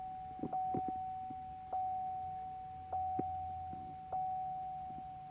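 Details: 2005 Chevy Silverado LT that won't start unless the driver's door is opened and closed: only a steady chime pulsing about once a second with faint clicks, no starter or cranking sound; no crank, only dash chimes.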